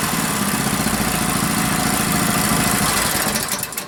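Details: Rebuilt Powerfist engine on first run after reassembly, choke on; loud steady chugging about three to four beats a second, holding even, running smoothly.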